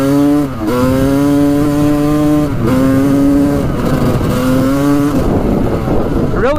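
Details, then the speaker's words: 1986 Honda CR250 two-stroke on its first test ride after repairs, run lean earlier: pulls fine in third, but in first and second it bogs and sags at the bottom end before taking off; also breaks up around quarter to three-quarter throttle, cause unknown. "up in third gear but in first and second it's boggy on the bottom end there see how it takes off right there"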